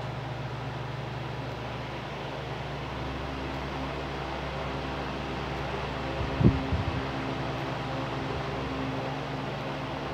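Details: Arge Estilo 50cm fan on 220 V after replacing and testing the dimmer speed control, at high speed: steady, even hum, low drone and airy rush, no rubbing or rattle; runs smoothly and healthy.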